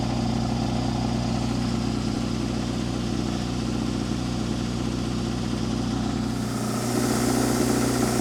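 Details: Cold idle of the Deutz diesel on a Miller Air Pak 400 welder/air compressor, believed late-80s, that had been sitting, about 35°F after dark, fired right up without ether; steady even clatter, no misses or knocks; engine in good shape, normal idle.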